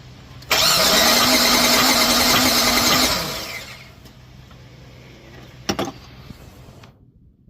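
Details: 1997 GMC Sierra 4.3L V6 with a hard start and weak, not-blue spark, plugs spitting fluid. A loud, steady starter whir runs about 2.5 seconds without catching; long cranking, owner suspects flooding from insufficient spark.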